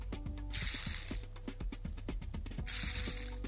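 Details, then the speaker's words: Bicycle bottom bracket bearing, seals removed and degreased, spun by hand near the mic before lubing: fast gritty clicking rattle of a completely dry bearing; one drop of lube later makes it quiet. "so if you listen to this this is the sound the bearing makes when it's completely dry I'm going to spin it hear that"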